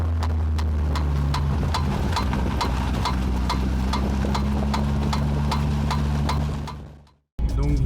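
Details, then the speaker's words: BMW E36: quick metallic clicks, about four a second, over a steady running drone from a worn driveshaft (cardan) joint; fixed by replacing the driveshaft. "c'est ça fait vraiment bruits de pas tout simplement de paul en fait paul de cardan et assez métalliques"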